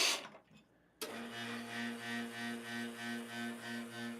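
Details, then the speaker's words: Espresso machine pump droning steadily, swelling and fading about twice a second, louder than a healthy rotary pump, while it refills the boiler. The owner suspects the needle valve, after reading of a similar noise that cleaning it cured. "so right now okay that noise is is uh refill the water to the uh boiler so again the the pump is making that noise"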